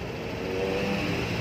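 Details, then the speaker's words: Honda Vario 150 scooter, serviced for a dead no-start with clicking starter: with the battery disconnected the engine keeps running, holding a steady, even idle with no misfire or knock, showing the charging system works. "nah jawabnya cabut motor masih hidup Ya"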